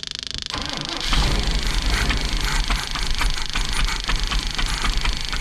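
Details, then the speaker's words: Big block Chevy V8 in a motorhome, cold snowy day: starter grinds engine over at steady noisy cranking rhythm but never catches; starter works but no fuel delivery yet, crank no start. "Well, the starter's working. We're just not getting fuel yet."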